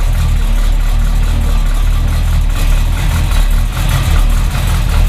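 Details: 1971 Chevy Nova Chevy 350 V8, not run in 15 years, just unchoked after warm-up: deep rumble with loose lopey beat, no knocks or ticks, smoke reduced, likely as cylinder oil burned off; healthy idle.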